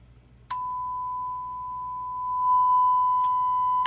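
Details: Marantz 2250B receiver after preamp repair: clean, steady tone near 1 kHz without hum, crackle or dropout, left and right channels passing signal; normal test tone output.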